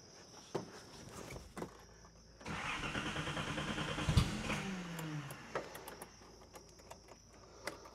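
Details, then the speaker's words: Nissan 280ZX (S130), oil and fuel source unchecked, cranked with starting fluid: starter whirs, engine catches a couple of seconds, stumbles and fades out; fires briefly but won't keep running, cause unconfirmed. "that's all the proof I need I haven't checked the oil I haven't checked anything but it lights off it fires"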